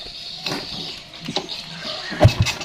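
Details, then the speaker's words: Yamaha Jupiter Z (older model) that had lost ignition, with no spark at all, now with a new spark plug fitted: after a few kicks it catches and gives a low, uneven rumble as it fires; ignition restored, normal start and run. "Nah, oke teman-teman, mungkin teman-teman bisa lihat sendiri, bisa dengar sendiri, sudah bunyi motornya. Dan tadi awalnya tidak ada strum sama sekali ya, dan sekarang sudah bunyi."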